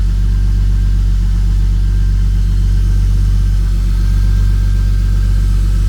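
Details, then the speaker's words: BMW E36 drift car with a newly installed M50TU engine, new big turbo and S52 head, not yet retuned: a deep, steady low rumble at idle with no knocks, misses or rattles; normal idle, sounds healthy. "healthy very very healthy there's one better than the last one too actually"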